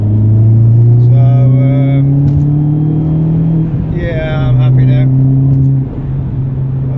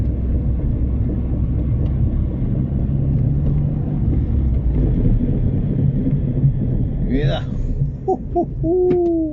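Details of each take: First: Driving an R56 Mini Cooper S after corroded front discs from a winter lay-up were cleaned with a Scotch-Brite disc: steady rumble with no squeal, scrape or knock from the brakes. Noise is gone and brakes are normal. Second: R56 Mini Cooper S driven slowly after the Christmas lay-up, front discs cleaned with a Scotch-Brite disc: low road rumble, then wavering squeals and scraping as it slows, ridges seen on the disc; brake grinding from surface rust.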